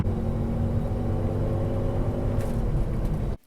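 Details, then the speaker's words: Chevrolet Silverado after a budget repair of the exhaust manifold leak. A smooth, deep, even exhaust rumble is heard with only the rear mufflers audible and no ticking up front. Before the repair it was louder and losing power. "Alright, sounds like it's sounding pretty good. The only type of exhaust sound that I hear is just the mufflers in the back. I don't hear any type of, type of lullaby up here."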